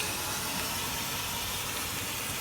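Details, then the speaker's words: 1986 Volkswagen Cabriolet project car running after revival: constant loud steam hiss, smells like antifreeze; owner suspects he might have just blown a coolant hose. "yeah it smells like candy freeze i might have just blown a hose"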